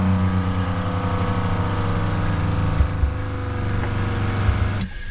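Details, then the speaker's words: Boat watermaker (desalinator) first start-up, needle valve open, boost and high-pressure pumps running as the filters begin to fill: even steady low drone at constant speed, then a clean cut-off; normal pump operation. "On va lancer la pompe de gavage et ensuite la pompe haute pression. Voilà. On l'entend, c'est très léger. Voilà, les filtres commencent à se remplir."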